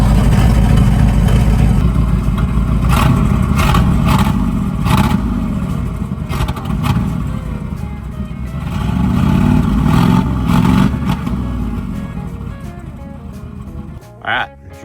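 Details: 1980 Dodge Power Wagon W300 1-ton 4x4 (engine unknown) that sat for years, started on fresh gas. A rough, loud V8 settles into a steady lumpy run after startup with no knocking heard; the engine runs normally.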